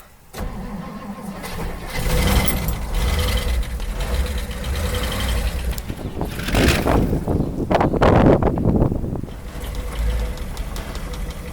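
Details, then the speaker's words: 1958 Edsel Ranger with rare factory AC, fuel and brake systems reportedly redone: cranks, catches and settles into a low, slightly uneven rumble; the old engine starts and keeps running normally. "actually runs pretty good so supposedly it got um fuel system redone brake system redone new tires stuff like that"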